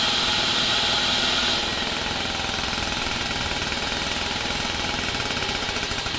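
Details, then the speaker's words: 1970s Wetco Wetbike two-stroke after sitting ~25 years: it chugs roughly in uneven hard pulses with a sharp backfire pop. There is no throttle cable yet, the carb is set up for a boat cable, and the old tank is sludgy with water. "probably should have swapped over those carb parts on the side since this one's set up for a boat cable and there's another backfire"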